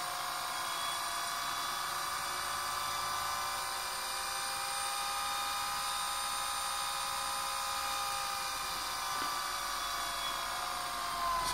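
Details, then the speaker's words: Motor for an eBike on a simple four-MOSFET PWM controller, potentiometer-adjusted from barely moving: steady high electric whine with a faint hum underneath, no grinding or rattle; runs smoothly, MOSFETs not even warm. "So you have full control of the speed of the motor. A nice, really powerful motor being driven by a very small circuit and a few MOSFETs, which don't even get warm."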